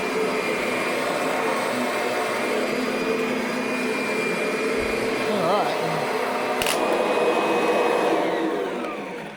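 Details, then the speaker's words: 2009 Kirby Sentria upright vacuum: steady high motor whine with a faint wavering scraping undertone; owner suspects something rubbing inside, not confirmed. "Not sure what that sound like. Something's rubbing in there."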